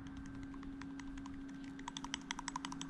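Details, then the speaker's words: Mazda Miata NA/NB with rattle and clunk under the timing covers: irregular dry clicks and ticks, sharper toward the end, from a worn timing belt tensioner bearing with play (bolts to the water pump); the new tensioner is silent. "so they're just little bearings and what happens is as they wear out they develop some play in the"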